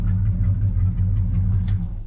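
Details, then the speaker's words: Ford F250 V8 with Boom Tube exhaust after carburetor rebuild, fixing a doubled power-valve gasket that dumped raw gas and wetted all plugs; 6.5 power valve fitted, about 15 in vacuum: deep, steady, even idle burble, no misses; normal idle. "five I don't know it sounds like it's running pretty good to me"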